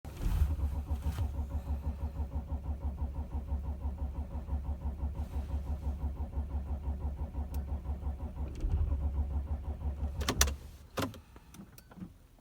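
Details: 2006 Audi A6 4F 2.7 TDI quattro, cold: starter turns the engine over evenly, about three compressions a second, for ten seconds without catching; cold crank, no start.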